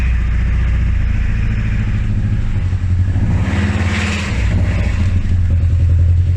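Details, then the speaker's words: Nissan S13 200SX CA18DET first start after head gasket replacement (done for steam from exhaust): catches and settles into a lumpy uneven idle with a stumbling beat, sounds like running on three cylinders; rough idle from loose spark plugs. "i heard something wasn't happy though so it sounds like she's only running on three cylinders"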